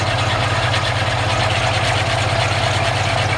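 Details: 1952 Ford F1 truck with rebuilt engine, not fully warmed up: steady, even low idle with a smooth rhythmic pulse and no knocks, ticks or misses; healthy engine.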